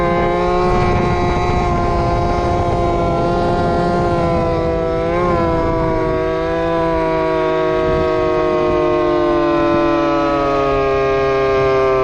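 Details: Two-stroke RC Big Foot, camera chest-mounted, warmed up after fixing motor adjustment plate screws rubbing the off-road tire: high buzzing howl near top speed, pitch dipping then climbing smoothly; normal full-throttle run.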